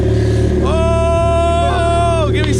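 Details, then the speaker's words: Turbo Miata that had been sputtering and wouldn't idle, started after injector dead time was cut from 4.0 to 1.0: revs rise with a clean whistling tone that climbs and holds with throttle, then drops; normal turbo spool. "I think it's going to start this time though oh I told you I told you hey you hear the turbo you hear it spooling"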